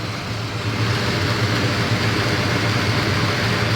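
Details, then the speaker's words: 1975 Chevy C10 Silverado, freshly rebuilt carburetor, after 15 years sitting: deep, steady V8 burble at idle, even beat, no misses, knocks or hunting; running healthy. "brian done a bang-up job on that carburetor he rebuilt the carburetor for me man this old truck runs good"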